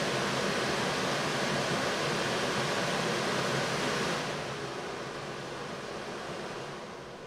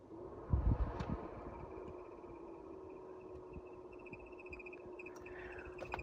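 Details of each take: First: 1990 Mercedes W124, Tempmatic HVAC, newly replaced blower motor after old bushings wore out, tested after install: smooth steady rush of air with no squeak or labouring, then an even wind-down. Normal blower operation after repair. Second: 1990 Mercedes W124 Tempmatik HVAC, blower motor struggling to turn: low fan hum with a steady thin high squeak after a few start-up knocks; the infamous blower motor squeak.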